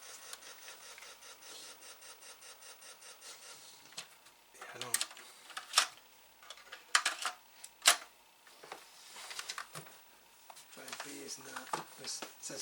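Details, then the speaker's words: Atari ST SF354 floppy disk drive, around a belt replacement, with a blank disk: quiet rapid head ticking back and forth then scattered clicks, seeking but never reading; drive B not responding, owner suspects dirty heads. "So it sounds like the gear is moving. But it just maybe I need a head cleaning."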